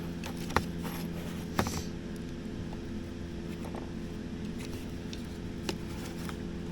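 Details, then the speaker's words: 1964 Dodge D100 heater blower motor on the bench after reassembly: steady low hum with constant pitch and only faint ticks, running much quieter than before its squeal; normal blower motor run. "all right sounds like it's running a lot quieter than it was"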